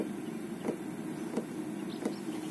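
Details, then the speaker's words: Chinese-made diesel air heater, Webasto type, fitted in a camper van with an exhaust silencer, running with its insulated cover on: quiet muffled hum with a soft fuel-pump tick about every two-thirds of a second. Noise is acceptable, and it is running normally. "moins bruit sourd donc là elle est bien isolé quand je mets le couvercle en fait que c'est sept ans de trop on va laisser comme ça leçon à un bruit acceptable quand même"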